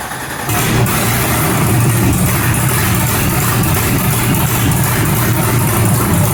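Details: Newly built 6.2L L86 Gen V LT V8, Holley Terminator X EFI, BTR 225 cam, first start with coolant, open headers, no O2 sensor: catches at once into loud, steady, even run with no misses, knocks or ticking; healthy.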